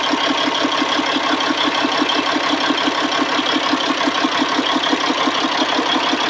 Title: c15 rough idle